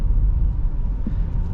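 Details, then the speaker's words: 2022 Honda Pilot TrailSport AWD, 211 miles, braking on off-ramp from 65 mph: even low road rumble, no squeal or grinding; brakes sound healthy. "okay so that sounded great there's no squealing everything worked perfectly"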